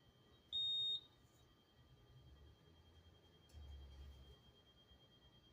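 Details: Honeywell Notifier fire alarm panel at a rail station: high-pitched half-second beep repeating about every five seconds, signalling a trouble alert.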